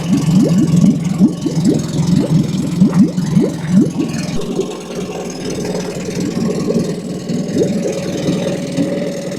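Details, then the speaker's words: Tohatsu 20 hp EFI outboard in water tank, first start after winter lay-up on fresh E5 petrol, neutral, warm-up lever raised, a little choke; started first go after about four seconds cranking, steady even idle, no misses; normal. "so that's the big engine started up that went first go put a little bit of Choke and off it went so that's good"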